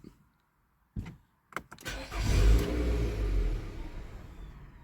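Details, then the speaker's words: 2014 Nissan Altima 2.5, complaint of stalling, with the check engine light on and P0011 reported: a few clicks and a short crank, then it fires and runs briefly before sagging and dying right after startup. "2014 Nissan Ultima it's a 2.5 engine is complaint is stalling let see if I can get it to do it soon as you start up it'll shut down"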